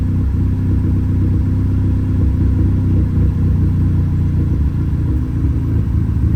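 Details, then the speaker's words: Audi A3 8P petrol engine at idle after a cylinder head rebuild. The spark plugs were changed and refitted, but it still misfires. Deep, steady idle with a faint uneven stumble; cause unknown. "oh no we're still misfiring well that's great let's see what that is"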